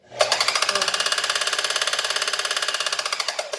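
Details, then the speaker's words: Singer Facilita Pro 4423 sewing machine, about eight months old and under warranty, noise began five days ago despite new thread, needle and lubrication; harsh fast metallic clatter about twelve beats a second, owner suspects motor area. "o que barulho horrível que essa máquina papo e ela não tinha esse barulho"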